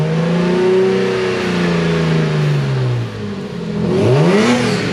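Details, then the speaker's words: Lexus IS300 (2JZ) after a failed catalytic converter, fitted with a cheap eBay stainless header and Megan Racing mid-pipe, driven hard: deep, even exhaust note climbs smoothly through the revs, no rattle or hesitation; engine pulling cleanly. "so i'm going to take it for a drive find out wow it sounds like it has just some giant exhaust"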